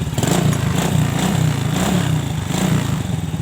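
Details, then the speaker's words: Old Honda Supra/Grand Supra Fit motorcycle that won't start on electric starter despite good battery and starter, suspected weak ignition: kick-started, it caught easily; steady, slightly lumpy single-cylinder putter with even pulses, no misses. "sedangkan kalau di engkol teman-teman ini sangat bagus dulu ya mudah nyalanya"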